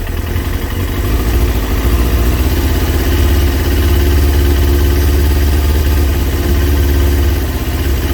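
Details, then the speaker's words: Kawasaki ZX6R J2 four-cylinder after carb rebuild with new main jets and needle clip change, while re-adjusting carbs 1-2 with 3-4 way out: uneven lumpy wavering idle; carburettors badly unsynchronised. "So quickly just get number 1 and 2 back to where they should be. 1 and 2. 3 and 4 are way out as well."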